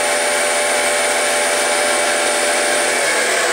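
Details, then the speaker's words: G0602 CNC-converted mill, spindle motor at about 80 V and 3 A, no load other than motor and spindle: smooth steady high whir and fine hiss, no knocks or speed hunting; runs cleanly unloaded. "on the mill and that's of course no load other than the motor itself you know the spindle of course"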